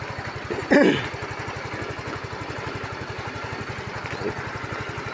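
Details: Yamaha Mio i 125 scooter that would not start (blown fuse found), after checks of ignition coil and spark plug, battery voltage being monitored: quick even putter at steady idle, no misses or knocks; running smoothly.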